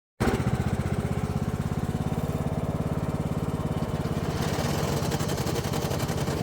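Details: Troy-Bilt Pony riding mower: engine thumps steadily while forward drive pops out and grinds, rougher rattle creeping in; transaxle losing forward gear, owner suspects worn shifter fork from poor lubrication.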